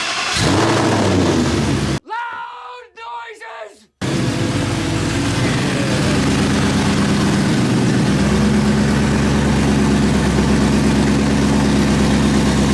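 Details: 2003 Mustang Cobra swapped to a Gen 3 Coyote 5.0L V8 with open headers, 3.8L Whipple supercharger and built 10R80 transmission, at its first start after the build: loud, lumpy but regular idle pulsing about 220 times a minute, firing evenly; normal healthy idle.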